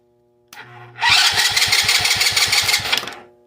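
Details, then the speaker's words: 110cc kids' quad revived after 2+ years outside, wiring harness removed, cranked with a jump pack: strong even cranking about six beats a second for two seconds, no drag; cranks healthily. "sounds healthy enough for me"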